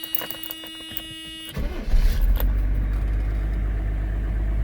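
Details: 1995 Mercedes E300 diesel (W124), with good oil pressure and temperature never past 80 °C: a brief crank, then the diesel catches cleanly and settles into a steady, even low idle with no knocks or misses. A normal start.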